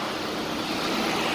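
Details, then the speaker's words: 2012 Chevy Impala radiator fans running after installing two missing fan fuses (40 A instead of 30 A): steady airy whoosh, even pitch, no surging. Cooling fans running normally. "um they didn't have these two fuses 30 amps i put 40 amps um and the fans turn right on instantly so"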